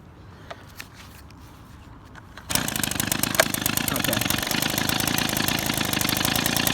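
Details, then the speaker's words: Small two-stroke engine during idle screw adjustment: it catches and settles into a fast, steady popping idle. Turning the screw left slows the idle, and too slow would stall it. "And you can hear it starting to run a lot slower. Now, yeah, you don't want to run it too slow because otherwise it will stall out."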